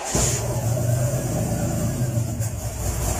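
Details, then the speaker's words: Valiant CL Charger Hemi 6 cold start, not run since last night, two pumps of throttle: fires straight up and settles into a steady deep idle, slightly lumpy while cold but even and healthy. "your idols a little bit cold but not bad not man all right to the island look the [ __ ] out"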